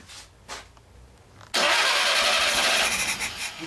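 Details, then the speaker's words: 1202 STW petrol engine after fresh petrol was added: slow soft cranking, then it suddenly catches at about 1.5 seconds and runs on loud and uneven. Normal cold start. "Už bafe. Ta šlape."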